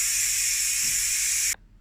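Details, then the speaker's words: Ninja pressure cooker, release valve turned fully right: loud, steady high steam hiss for about 1.5 seconds, then a clean cutoff as pressure is fully released. Normal pressure release. "So I've turned it right the way to the right now, and it's just letting all the pressure off, as you can hear."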